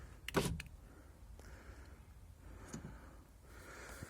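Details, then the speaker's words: Skoda Octavia A5 front power window: quiet motor hum with soft clicks at the stops and no squeak; normal operation. "И мгновенно перестало все пищать. Сейчас вот работает тихонечко. Слава богу, ничего не пищит."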